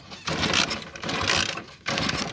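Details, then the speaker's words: Motorcycle with an anti-theft switch cutting the current from the stator, switch off and key on: three short bursts of fast whirring cranking and none catch, since the ignition gets no current. "No lo vas a encender, ve. ¿Por qué? Porque el flujo de corriente está cortado desde el estator."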